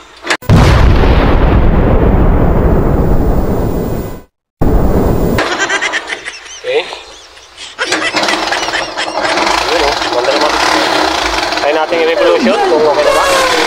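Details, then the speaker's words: Yamaha YTX 125 after carburetor cleaning, previously misfiring and sputtering: engine picks up cleanly on throttle and drops back to an even idle with no popping, stumbling or misfire; running healthy after repair. "At okay na. At hindi na siya papugak-pugak."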